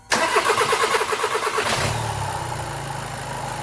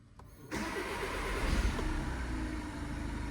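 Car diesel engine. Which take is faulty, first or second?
first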